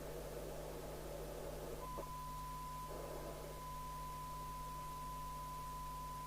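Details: Fidelity CB1000FM UK FM CB radio after repair (shorted 8V-line zener, speaker, meter lamp, transmitter Q11 replaced; suspected 24-volted), receive test: low steady hum, then clean steady mid-pitched tone holds evenly; normal reception of test signal.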